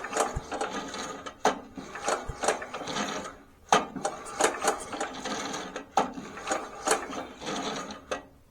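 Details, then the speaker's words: 1960s Bolens Suburban 26 lawn tractor engine, slow hand pull-overs with spark tester fitted: dry scraping ticks once per turn as the ignition coil hits the flywheel magnet; no spark produced. "Here goes nothing. Ugh, not good noises. I can hear it hit that magnet every time."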